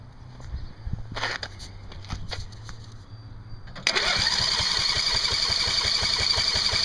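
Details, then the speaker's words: Coleman Powermate 5000 W generator with newly added electric start, powered by a jumper battery on a test run: the starter churns in uneven bursts for nearly four seconds before the engine catches into a fast, steady run. Long cranking before start. "so that's a good example if uh why I would do it this way instead of doing it by hand"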